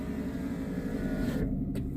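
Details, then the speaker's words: Daimler with electrical faults, engine running: power window motor whirs smoothly and cuts off sharply at its stop; window motor healthy, though window use had been dragging charging voltage into the red that morning. "Okay, so that window is going up and down like a good 'un."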